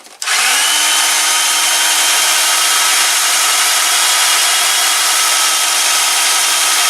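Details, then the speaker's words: Ozito DBS-095 drill bit sharpener switched on: motor settles into a steady, high whirring hiss with a faint constant hum, not very loud but annoying; normal running. "It's not particularly loud, but it's loud enough to be annoying."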